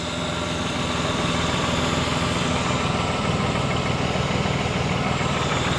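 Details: 2000 BMW 528i (E39) wagon after fuel filter and fuel pressure regulator replacement, 53 psi fuel pressure, no leaks: smooth, even idle with steady low hum, no misses, knocks or hunting; normal idle.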